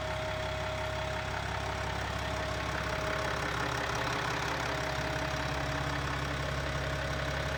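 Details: BMW X5 M50d diesel after engine rebuild, running: steady, even diesel idle with smooth constant beat, no knocks or misses; healthy.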